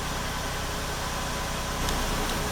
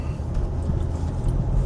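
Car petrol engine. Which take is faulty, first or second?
first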